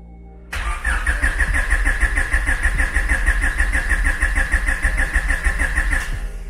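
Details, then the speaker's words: Rywire Honda Civic after long storage, injectors disconnected: even starter chug, no firing or grinding, cranking only to build oil pressure; fuel and oil pressure later confirmed on laptop; normal cranking without fuel. "And I'm just gonna crank this, really just to build oil pressure. It's been so long, it's just safer that I just do this."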